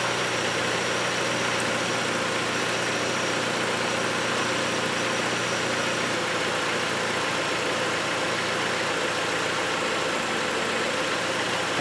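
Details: 2012 Chrysler 200 idling after battery replacement for a no-start; smooth, even idle at one steady pitch, no knocks or misses, alternator output measured as good.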